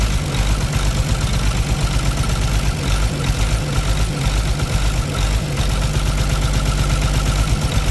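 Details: Caterpillar C13 heavy diesel idling with valve cover off during an injector cut-out test, rough uneven beat near two per second with weak dropping pulses, heavy smoke; misfiring cylinder suspected from a bad injector or rocker arm problem, not confirmed.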